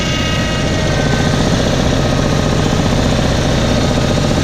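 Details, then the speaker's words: Onan 5,000 watt gas generator in a 1997 Pace Arrow Vision 36B motorhome, just started after struggling to fire; steady, even, low drone with no knocks or misses, fairly quiet; running smoothly. "It's nice the generator started up. That's pretty cool. It's pretty quiet too."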